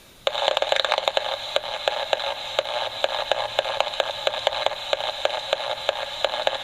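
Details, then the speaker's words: Homemade AM superhet receiver with a suspected AGC problem. Steady hiss broken by sharp, fairly regular clicks several times a second: a pulse-type interference signal that fades when turned all the way down but returns, source unknown. "if I go all the way down it seems like it goes away but it comes back that I don't know what it is but it's obviously something that's not a solid signal a pulse type"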